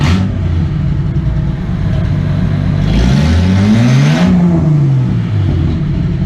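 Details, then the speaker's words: Rally car idling and blipped after the catalytic converter was cut off, now running headers into only a couple of feet of pipe; deep, loud, open rumble that swells sharply on the blip; very loud. "so right now I'm running headers to a couple feet of pipe so it's pretty loud it's pretty ridiculous"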